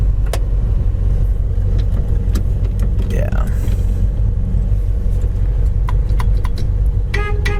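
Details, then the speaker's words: 1966 Ford Fairlane 500 hardtop, 4-speed, idling (50 psi oil pressure at idle, odometer 43,800); short clear steady honk over engine rumble and outdoor traffic; horn works. "horn Works"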